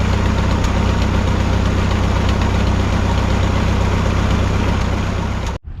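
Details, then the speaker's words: 1951 Farmall M after work on the hesitation and sputter, which seems fixed: low steady idle with a light tapping about four a second that comes and goes. Intermittent engine knock, source unknown; oil change planned. "well I think I fixed the hesitation and sputtering issue but now I'm hearing an intermittent knock from the engine that I had not noticed before it doesn't do it all the time it only does it sometimes"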